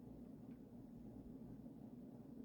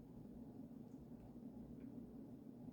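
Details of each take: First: Vintage early-1980s Emerson 1895 Series 52" four-speed ceiling fan on high speed after oiling the bearings (previously horrendous grinding): soft steady low hum, no grinding or ticking, moving air well, smooth running. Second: Vintage Emerson 1895 Series 52-inch four-speed ceiling fan with KB55 motor running on high: steady low motor hum with a faint buzzy tone, no knocks or rubbing; noisy motor hum, no clear fault.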